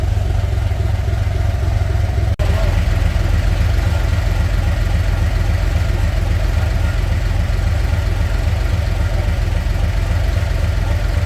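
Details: Narrow Gauge Bombardier, after a thermostat and gasket change for overheating, held at about 2000 rpm with the heat gauge where wanted: a deep, steady drone at three to four pulses a second with no misses. The settings are still being tuned; healthy running.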